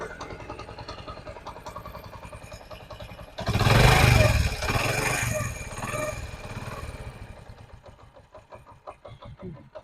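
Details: Honda CD 70 single-cylinder motorcycle after tappet (valve clearance) adjustment: an even putter at idle with one short throttle blip midway, no tappet clatter, and a quiet, healthy valvetrain; normal idle.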